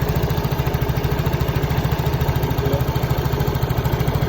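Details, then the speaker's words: Yamaha Mio J scooter at idle, single-cylinder putter about 160 beats a minute rising and falling; idle hunts despite earlier ISC repair, traced to an expanded, leaking lower intake hose; pressing the hose steadies it. "masalahnya ini terasa udaranya itu tidak stabil karena selang ini sudah mengalami pemuaian."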